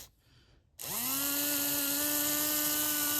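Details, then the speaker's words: HO scale brass Union Pacific FEF-3 4-8-4 #840 model locomotive after cleaning and oiling: motor spins up to a steady, smooth high whine; running better than before. Normal motor run. "let's test it look at that Str is running better than it just"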